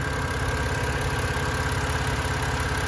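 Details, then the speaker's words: 2011 BMW 328i xDrive with a replacement N51 engine from a 2013 328i xDrive, after reseating a loose cam sensor connector: an even, steady idle with a soft regular pulse and no knocks or misses; it runs smoothly. "so now it's purring away beautifully let me uh show you how it's doing so much better sounds really good"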